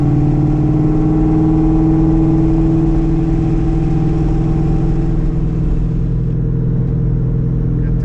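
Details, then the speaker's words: Car with Tremec Magnum XL gearbox and Steeda Tri-Ax short-throw shifter with added insulator to cut NVH, cruising at about 2500 rpm: smooth, even low drone, constant pitch, no drumming or vibration; zero NVH. Normal engine sound while cruising. "we're about 2500. I got no NPH going on right now zero"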